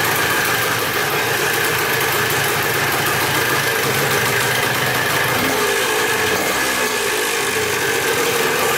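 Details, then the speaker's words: Dirt bike bought in a four-bike lot, restarted after only a carb clean and fresh gas, clutch adjusted: a crisp, even two-stroke idle that blips and drops back without stumbling; normal idle. "well it doesn't get much better than that basically all we did was a carb clean put some gas in this thing and uh i fired right up"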